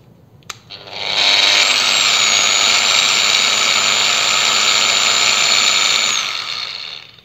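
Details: PROCRAFT PW 1100 ES 125mm angle grinder, no load, speed regulator at minimum, microphone nearby: spins up over about a second then holds a steady, even whine, no rattle or grinding; healthy low-speed running.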